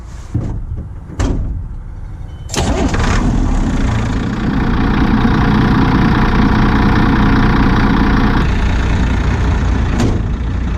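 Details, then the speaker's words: 1987 Ford F800 dump truck diesel started and running with the belts removed after a seized accessory caused heavy belt squeal and a stall; cranks, fires and settles into an even idle without squeal; owner plans to replace bad fan bearings. "I said I was gonna go home and fix this but you know what the things running perfectly cool about that fan"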